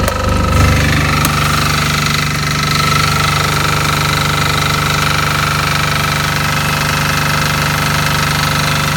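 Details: Fermont MEP-831A military 3 kW 60 Hz single-phase diesel generator, built 2001, rebuilt 2010, 2.2 hours, new oil and fuel, electric fan, just started: steady, even clatter at constant speed, no hunting, misses or surging; normal running.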